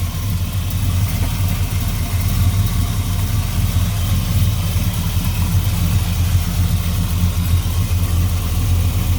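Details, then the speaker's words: 1967 Chevy Nova SS clone with a stroker V8, Muncie 4-speed and 10-bolt posi reportedly with 4.11s. Deep, steady V8 idle burble with an even beat and no ticks or knocks. Good oil pressure, no smoke, quiet motor: normal idle. "All seems pretty good. The motor is nice and quiet."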